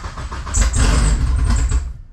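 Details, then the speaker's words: 2G GSX on FuelTech ECU after fixing the CAS connector for crank signal: catches with a rough uneven rumble for about a second and a half then dies; starts then stalls, over-rich post-start enrichment, later reduced. "Okay. So the car started, but didn't stay on."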